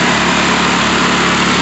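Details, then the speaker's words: Honda EU2000i inverter generator after carburetor repair (new air filters, oil full), running smoothly after starting on full choke with steady even hum, no surging, misses or knocks; normal running. "Run it perfectly. That's how she should go."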